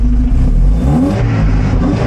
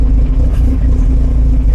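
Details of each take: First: 1975 Volvo 245 wagon 16-valve turbo resto-mod with LH2.2 injection: after replacing the bad air mass meter, engine picks up cleanly on throttle and revs smoothly with no stumble; wideband still reads oddly. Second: 1975 Volvo 245 wagon 16v turbo resto-mod, LH2.2 injection: deep, lumpy idle about 800 rpm with dips, low vacuum, wideband 8–9, barely held by slight throttle, carbon from tailpipe; air mass meter suspected bad. Rough rich idle.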